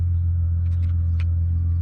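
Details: Chrysler Crossfire petrol engine at idle, warm at about +21°C, no warning lights: a steady, even low rumble with no misses, knocks or ticks, settling smoothly and quickly; a healthy normal idle.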